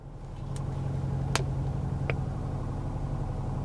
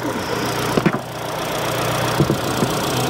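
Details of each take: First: 2022 Kia Sorento with check engine light and misfire codes, running very badly: petrol engine idles roughly with an uneven, stumbling low thump from a cylinder misfire. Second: 2022 Kia Sorento petrol engine idling smoothly and evenly after clearing a stored cylinder-two misfire code, with a few clicks from handling nearby; normal idle.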